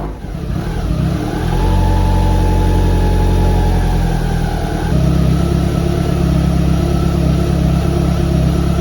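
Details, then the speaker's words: Evo1 16v engine, idling and revving before adjustment: faint whine over the engine from an overtightened cam belt that could not be turned 70° between the cam wheels. "thank you for your comments about the cam belt being too tight now the belt was a bit noisy so let's have a quick listen"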